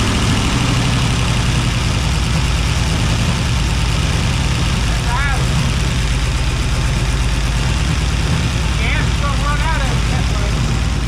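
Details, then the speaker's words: 1957 Ford Fairlane 500, 292 V8, two pushrods fallen out, running on six cylinders: uneven idle with a regular skip in the exhaust beat; misfire from the two missing pushrods. "there you hear the skip now right y'all it sounds exactly like it sounded before that sounds pretty good running on six cylinders on it"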